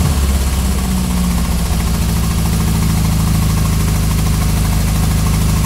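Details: Ford Pinto engine at low idle with an uneven, stumbling beat and dropped pulses instead of a smooth rhythm; misfire at idle.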